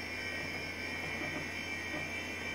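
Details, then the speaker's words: HP 712/60 UNIX workstation at first power-on: constant high-pitched whine over steady fan hiss from its noisy early-to-mid-90s hard drive, expected to be replaced by SCSI. "yeah I remember now how this early to mid 90s hard drives were noisy"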